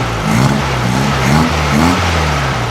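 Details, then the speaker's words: 1956 VW Beetle engine with open pipe, after fixing a faulty spark plug cap on a dead cylinder; low, throaty, even idle with no misfire or knock, sounds like a healthy VW, though revving up still not right. "Okay, that sounds better already. Yeah, that sounds different already. The idle sounds completely different. Yeah, now that sounds like a Volkswagen."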